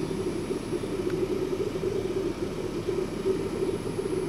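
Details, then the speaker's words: Kroak LM21 car fridge/freezer running: low steady compressor hum with a soft bubbling gurgle on top, like a fish tank; normal compressor hum with refrigerant gurgle. "It chills down very quickly, but in that it makes a funny little gurgling noise. Like most fridges, you can hear it when it clicks on, and you have that little compressor sound in the background. This one adds a little bit of gurgle."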